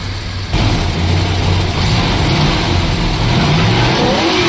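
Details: 1972 Plymouth Fury ex-Michigan State Police car, 440 big-block V8, barn find sat about a decade, just revived: catches and settles into a strong rumble, pitch rising smoothly on throttle blips, no knocks; runs and idles well.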